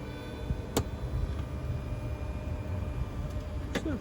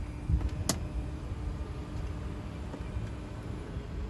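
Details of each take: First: Tesla Model X rear captain seat after warranty service (motor replaced on one seat, the other greased): sharp, isolated clicks a few seconds apart while the seat motor moves the seat. The creak is fixed but the power seat still makes a clicking noise. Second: Tesla Model X rear captain seat after service (one seat motor replaced, the other greased): steady low motor hum as the seat travels, the earlier midway noise gone, no catches; normal power seat travel.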